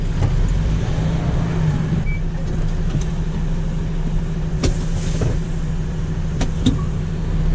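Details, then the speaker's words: MAN truck after replacing a rear brake chamber that leaked heavily under braking, heard from the cab with windows down while brakes are applied and released. Even diesel idle, brief air puffs, no lingering hiss. No air leak. "so I'm just listening just operating the brakes on and off just having to listen to see if we can hear anything"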